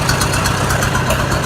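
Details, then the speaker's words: Oliver 550 diesel tractor just fired up after injector install, pulsing about eight beats a second with uneven, lumpy beat; struggling to fire and running rough, cause not yet found. "That's not a good sign right there. That's not a good sign. She is not wanting to fire up."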